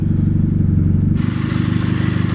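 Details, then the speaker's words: 1990 Mazda Miata with a newly installed replacement engine, on first start: a slightly rough start, then a lumpy idle with a light, quick lifter tick, which is considered normal for a Miata. "bit lifter tick that's normal though it's a Miata"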